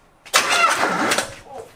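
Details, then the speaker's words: 1972 Oldsmobile Cutlass S four-barrel, off the road since 1987 after 33 years in storage, first starter tap: single labored, heavy, dragging crank of about a second, then it stops with no firing. Slow hard cranking, no start. "so i'm gonna go inside and tap the starter i expect to do half a crank and then stop so here we go ready"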